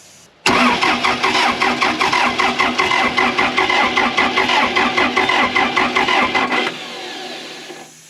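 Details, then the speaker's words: Case 450B dozer diesel, abandoned 15 years, cranked after a Roosa Master DB2 injection pump rebuild. Steady cranking with even compression pulses but no firing, no smoke and no fuel. "nothing nothing yeah no smoke no fuel but it might take a minute yeah give it a second"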